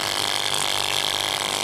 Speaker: और आवाज़ तो कर रही है साथ में जो है ना उसका एक पाल और भी है और यह गैस भी नहीं फेंकी रही तो आज इंशाल्लाह हम इसको रिपेयर करेंगे और इसको चेक करेंगे कहां फाड़ दे किस वजह से इतनी आवाज़ कर रही है